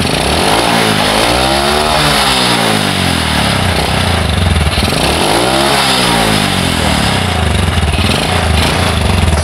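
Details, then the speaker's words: Honda Supra Fit motorcycle, owner complains noisy and lacking power; harsh rattly engine note through two rev rises with loose clatter underneath; mechanic suspects worn piston rings, damaged block, slightly loose cam chain. "jadi disini temen-temen perkiraan saya Hai jelas bagian ring Piston sudah kena Ayah sudah aus ya dan juga bagian rantai kamrat juga agak kendor"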